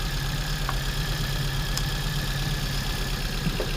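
Uneven idle with a lumpy beat, roughly three stumbles a second breaking the rhythm. That points to a cylinder misfiring. Cause suspected, not confirmed.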